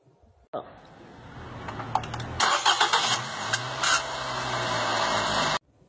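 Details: Nissan Tiida sedan first cold start of the morning: high, hissing metal-on-metal squeal over the idle for a few seconds, then steadies and disappears; doesn't return on a warm restart after a short drive.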